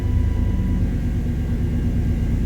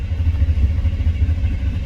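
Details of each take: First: 1993 Chevrolet C1500 5.7L V8 (OBD-1, code 54 fuel pump relay/circuit) with oil pressure switch: steady idle cuts out, relay clicks, then cranks and fires straight into even idle; normal start while diagnosing fuel pump prime loss. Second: 1993 Chevy C1500 5.7L (VIN K) with code 54 fuel pump relay/circuit fault: steady low starter churn turns over but never catches; fuel pump primes at key-on but gets no power while cranking, so no fuel.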